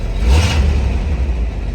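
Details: 1983 Chevrolet C10 V8 after an exhaust change that cleared a major blockage: quick rev then soft muted rumble, exhaust quiet and free-flowing with no rattles; normal start and rev.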